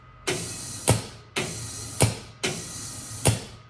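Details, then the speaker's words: Fogless coolant mister (FogBuster-type) on Tormach CNC mill, fed full compressor pressure of about 125 psi through the solenoid, rated around 30 psi: three sharp loud air hisses about a second apart, each ending in a pop; owner unsure if normal, suspects a regulator is needed. "that's pretty loud I don't know if that's normal Maybe maybe it is it just seems just seems a little loud kind of a bummer"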